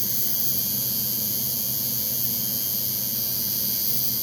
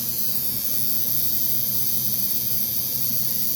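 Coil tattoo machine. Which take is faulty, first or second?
first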